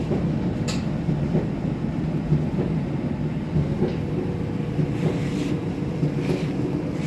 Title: Kenmore 70 series dryer thumping noise. Bad tub? Bad rollers?